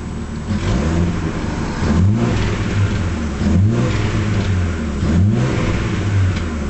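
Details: Nissan Skyline engine blipped up and down about every 1.5 seconds, each rev ending in a sharp exhaust crack: misfiring with backfiring.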